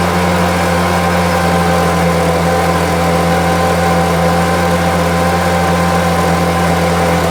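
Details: Homelite UT08572 small trimmer after restoration holds a steady, constant buzz at even speed without surging or stumbling, running really well; owner will check whether the earlier tink noise is gone.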